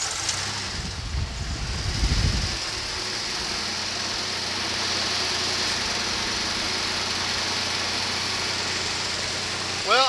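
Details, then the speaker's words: 1993 Ford F150 inline six with five-speed: uneven, lumpy loping idle with exhaust chuff instead of a smooth six; rough running, suspected vacuum leak and fouled plugs, full tune-up planned. "that does not sound like an inline 6 is supposed to sound they normally run their engine early balanced and only run and quiet"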